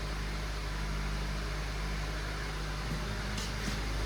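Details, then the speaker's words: 2012 Honda Civic idling after a muffler adapter repair of the failed exhaust, which was quite loud before. Soft, low, steady hum without blatting or raspy leak noise. The exhaust is sealed, quiet and back to normal. "And it's back to normal. That sounds exactly like it did before all this stuff fell apart on her."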